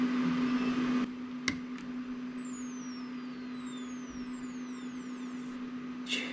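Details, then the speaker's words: Computer power supply that smoked and has something melted inside: a steady mid-pitched tone with thin, very high, falling squeals above it, the same noise it made before failing; a failing power supply squealing. "that noise that was the noise it was making before it went oh it's so high pitched yeah so that's bad so i'm going to be replacing it"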